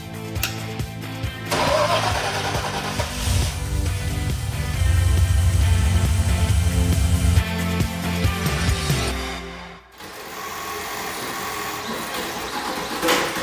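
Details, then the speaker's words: Jeep Wrangler after sitting about three months: harsh rough grinding whir under cranking at startup for several seconds; failing starter (or possibly loose connection), replaced. "That doesn't sound good. See what happens when you leave your vehicles for a few months to go have fun. Yeah, so the starter clearly not happy at all."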